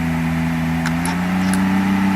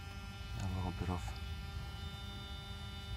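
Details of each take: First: 1994 Mercedes 600SL V12 running with the repaired throttle actuators connected but without a proper air supply. A fast, steady idle creeping slightly higher; idle is high from the missing air supply, but no ASR light and the throttles are seen as fine. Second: 1994 Mercedes 600SL V12, repaired throttle body units tested on a running car after learning cycle; steady whining buzz as actuators move and open fully in sync, no grinding, normal for these units.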